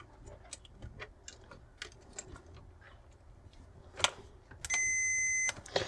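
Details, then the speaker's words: Lyman 1200 digital powder system keypad, tactile switches tested with a continuity meter: light probing clicks then clean steady beep lasting almost a second; switch has continuity and works. "so when we press the switch we should hear beep like that and of course we can go across and they all work"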